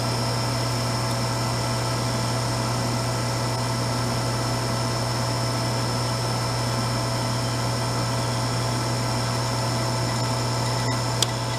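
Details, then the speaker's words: Vintage Harmon fireplace-insert pellet stove, long stored in a garage, first test run: low steady hum with even whir and no grinding or clicking as the feed motor runs and pellets start feeding in; normal. "See the pellets are starting to go in. That's the feed motor going."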